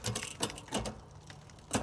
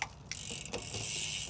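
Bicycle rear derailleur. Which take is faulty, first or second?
second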